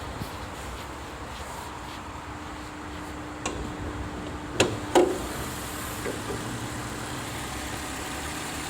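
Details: Mercedes W204 idling, worse after warm-up, with a thin steady whine from the power steering pump due to low fluid; belt and pulley replacement didn't help, topping off the fluid fixed it.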